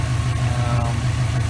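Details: 2003 Subaru WRX at idle after replacing the AC belt tensioner pulley/bracket, AC on with the compressor cycling: even low idle, no belt squeal or chirp heard here, though the belt squeaked intermittently earlier.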